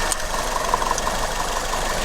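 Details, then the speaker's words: Maruti Ertiga 1473 cc petrol engine idling with the first cylinder's spark plug coupler removed: runs slightly unevenly with vibration on three of four cylinders but doesn't stall, roughly 343 cc lost. "Engine of ഒന്നും ആവുന്നില്ല, എൻജിനിൽ ഒരു vibration നേരിട്ടു, engine vibrate ആയി നിൽക്കുന്നു നോർമലായിട്ട്."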